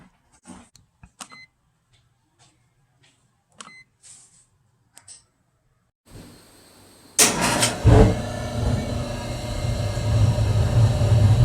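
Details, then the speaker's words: 1974 AO Smith copper natural-gas boiler, 160,000 BTU, first startup of season via thermostat on cold day, thermocouple and inlet regulator replaced last year: quiet clicks, burner lights with big whoosh flare-up, then steady even low roar; normal startup. "all right so it is now running sounds good"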